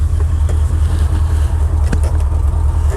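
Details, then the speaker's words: Once-abandoned Chevy C10 square body V8 after the distributor was adjusted by eye and ear, owner thinking timing was the problem: fired right up with no starter drag, strong steady even idle, smooth and healthy. "Fired right up. There's no drag."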